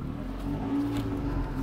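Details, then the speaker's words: Toyota Allion 1ZZ-FE just started after solvent decarbonizing, remaining half litre poured into the engine, idling 15 minutes with light throttle: uneven idle, wavering low drone, trying to stall; rough idle from solvent in cylinders. "n'aime pas trop ce qu'on a versé dans les cylindres, il essaie de caler, sape, il ne survivra à rien."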